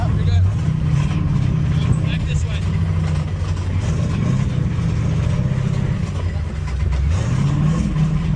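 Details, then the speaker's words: Mustang on track at Sebring run with about 4.5 quarts of oil and low oil pressure: heavy low engine drone with a dull knock under road rumble; owner suspects a spun rod bearing; engine knock. "Well, finally the engine gave out. Pretty sure I spun a rod bearing."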